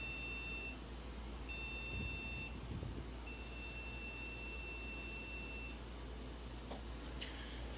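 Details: One of four scrap motherboards, after its buzzer capacitor was replaced. At power-on, two short beeps then a longer steady beep over faint fan hiss: a POST error, cause not found. A video-card wiggle was tried next.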